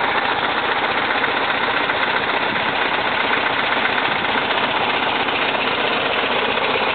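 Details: 1971 VW Type 3 Fastback after static timing and vacuum advance fix: lumpy, uneven loping idle; pulling plug wires 1 or 3 changes nothing, 2 or 4 kills it, so running on two cylinders, cause unknown.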